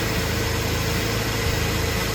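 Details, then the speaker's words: Jeep during a rebuild, after new relays and a battery terminal switch were fitted and the old O2 sensors were put back in, starting right up: a smooth, even idle with a steady low hum and no knocks or ticks, a normal idle. "Let's see what we got. Saw it started right up."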